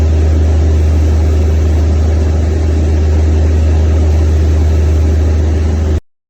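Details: Natural-gas engine after a crank-no-start fixed by turning the shut-off gas line back on: steady, even low hum at constant speed with no misses, knocks or surging, then cuts off cleanly; normal running.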